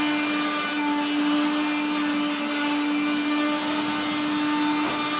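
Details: 1970s Blue Regina Electrikbroom 3-speed vacuum with motor and fan dry after being washed: steady mid hum under a harsh gritty roar of dry motor bearing grinding while vacuuming.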